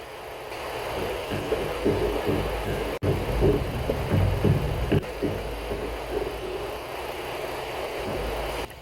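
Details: Ford Explorer idling as the steering wheel is turned, phone mic on the strut mount area: irregular dull clunks and knocks from a failed strut mount bearing with debris inside; mount and bearing replaced as one part.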